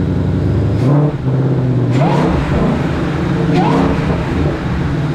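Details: Supercharged Ford Mustang, first start after JLT cold air intake install (no tune): strong steady idle with low rumble and a couple of short blips settling back evenly, no hiss or stumble; healthy.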